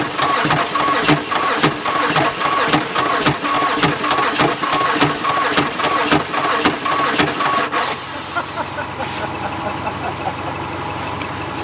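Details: 2010 Mazda that arrived seized with a flat battery (about 7.9 V), now jump-started from another car. Slow, labored cranking at about two turns a second for eight seconds with no firing, then stops; crank, no start.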